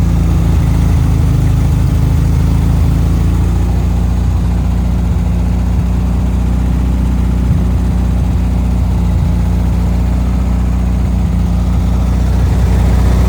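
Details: 1974 VW Thing air-cooled engine with Scat exhaust, after freeing a throttle stuck wide open, running off fuel poured into the float bowl: deep, even, steady idle with low rumble and no misses, knocks or hunting.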